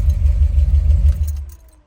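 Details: Deep, even low throb of the 700R4-swapped car at warm idle after starting, no knocks or misses, then dropping away; no-start resolved, engine runs normally.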